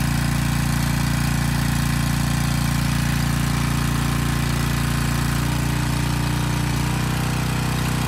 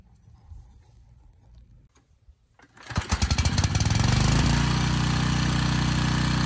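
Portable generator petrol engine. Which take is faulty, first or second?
second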